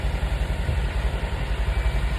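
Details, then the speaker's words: 2020 Jeep Wrangler JLU, 2.0 L gas turbo, bought from an impound lot with standing water inside and broken front control arms, at idle: smooth, even low pulse with no knocks or misses. Runs well. "but let's just let you hear it sound 2.0 gas turbo runs like a champ um"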